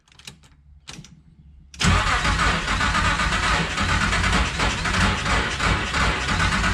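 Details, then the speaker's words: 1987 Nissan Pathfinder VG30i with cams, converted to VG30E EFI, on a start attempt after the distributor fix: a few sputtering cranks, then a loud, rough, uneven roar as it almost catches. The engine is nearly starting and the timing is still unsorted. "whoo she's close I'm not gonna lie confidence is low"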